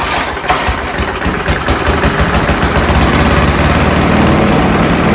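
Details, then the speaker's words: Scott Bonnar alloy mower with a Briggs & Stratton Sprint 375 4-stroke engine, stone cold, three primes and slight throttle: starts on the first easy pull and putters steadily and evenly after a few fixes; the previous owner had called it hard to start. "So there we go, folks. As you saw, that was the first pull start. I really didn't even pull the handle that hard, and away she went. She just putted away."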